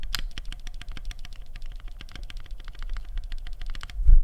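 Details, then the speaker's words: Keyboard space bar stabilizer, slight-tick sample before lubing or mods: rapid dry key taps about ten a second, each with a sharp piercing high-frequency click; stabilizer tick. "that's tick when you when you hear it you won't be able to unhear because of the frequency it's very high it's like the high end of the frequency is sharp it's piercing it it pops right through"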